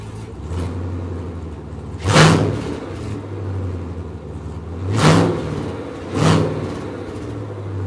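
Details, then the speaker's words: GM L86 6.2L Gen V V8 on the engine stand, Speartech harness, cold air intake, after the computer had time to learn from the earlier limp-like unresponsive pedal: steady even idle with three quick throttle blips climbing and settling cleanly. Healthy revving, responsive throttle. "so here's the motor as it sits today and it's much more responsive"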